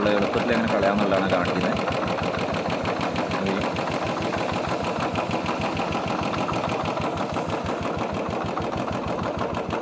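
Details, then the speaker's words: Royal Enfield Bullet single-cylinder running after rain: lumpy thump about three beats a second with an uneven, stumbling rhythm; misfire from water in the carburettor fuel, drained from the carburettor. "Missing ആണ് കേട്ടോ വണ്ടി മഴ ആയതുകൊണ്ട് കറുവെട്ടിൽ വെള്ളം കയറിയതാണ്"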